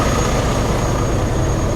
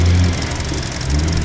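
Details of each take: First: 2021 Hyundai Venue cranked on booster pack with water in the engine, feared locked up: steady labored slow cranking, two or three strokes a second, dragging and uneven as the starter fights water in the cylinders. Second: 2021 Hyundai Venue idling with the hood open: steady, even low hum with a faint light fuel-injector tick on top and no knocks or misses; a healthy smooth idle.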